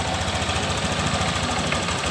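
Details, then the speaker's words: Honda Vario 150 scooter at idle after the cam chain tensioner was repaired to cure engine noise: even, steady putter with no rattle or clatter; normal idle. "Dan di sini suara motor mulai cenderung halus kembali dengan adanya perbaikan di tonjokan ketang ini."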